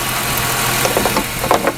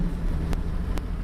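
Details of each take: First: 2001 Ford Mustang 3.8 with a sputtering/misfire complaint under sudden throttle (new EGR valve, wires, plugs; old coil pack tested good): smooth, even idle with a low steady hum, no misses or knocks; idle sounds totally fine. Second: 2001 Ford Mustang 3.8 with new EGR valve, wires and plugs, old coil pack; fourth gear, 1200 rpm, full throttle: deep lugging drone with uneven stumbling pulses and sharp pops; misfiring badly under load, idles fine, shops can't diagnose.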